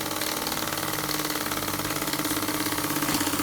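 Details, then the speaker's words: Newly assembled Myfordboy wobbler model steam engine on steam from a low-output boiler, pressure unknown: quick, even puffs about three a second, steady, no knocks or hiss leaks; running smoothly. "Now you can hear how truly quiet this engine is. Isn't that amazing? It's just purring along."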